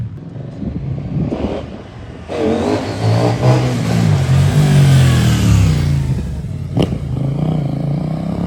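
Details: New 2024 CFMOTO 800NK (100 hp) with stock exhaust, first start from the crate: crisp, deep exhaust note climbing smoothly through the revs and settling back, no rattles or misses. Normal exhaust note when revving.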